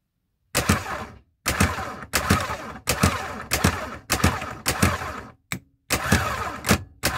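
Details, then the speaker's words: VW Crafter starter after a rebuild and tightening a poorly contacting, heat-damaged terminal: short, sharp cranking bursts, each engaging instantly and strongly. The starter now sounds healthy. "кает о мощно мощно тыр кает Ну хоть моментально реагирует сразу"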